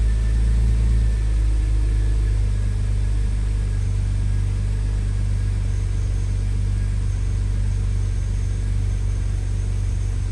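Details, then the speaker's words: BMW E36 M3 six-cylinder petrol engine idling with a deep, steady, even rumble after cleaning the idle control valve and replacing its hose and the intake boot; idles better than before the hose, previously rough at low RPM. "so it's idling better than it was before the hose anyways"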